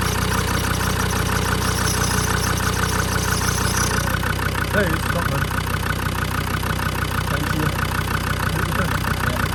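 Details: Land Rover TD5 diesel idling while the fan is refitted after a viscous fan bearing replacement: steady, even idle with a regular beat of about three per second and no knocks or rattles; normal.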